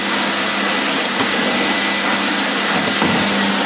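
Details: Refurbished Electrolux 4x4 vacuum on boost after restoration: steady high airy rush with thin whistle and even motor tone, no rattles or surging; motor running healthy.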